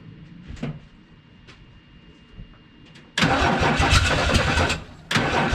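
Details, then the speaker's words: 1979 Ford F-150, 300 straight-six, C4 automatic, on starting fluid: quiet clicks and weak churn, catches loudly about 1.5 seconds, stumbles, catches again; hard start, owner suspects it needs gas in the carb. "and you can tell she wants to go I think a little gas for the car might be more effective than starting for it"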